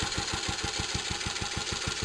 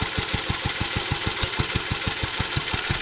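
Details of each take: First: Restored J.A.P. Model 5 single-cylinder stationary engine, rope started cold on lots of choke after a few weeks unused: thumping about six beats a second, pulses a touch uneven in strength; slightly uneven running after cold start. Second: Restored JAP Model 5 stationary engine, cold start after a few weeks unused, on heavy choke: it fires on the first pull and runs with steady, even beats, no misses or knocks.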